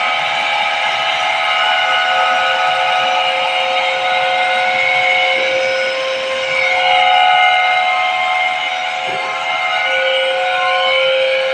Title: 160 TR water cooled chiller compressor abnormal sound detection.